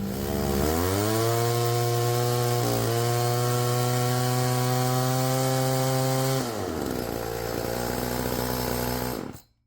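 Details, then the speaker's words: Roll G2000 two-stroke chainsaw winch after new carburetor diaphragm and high-low mixture adjustment: pulls steady and strong, pitch even under load, dropping cleanly as throttle eases; running fine. "That thing works freaking awesome. Well, that was pretty easy fix."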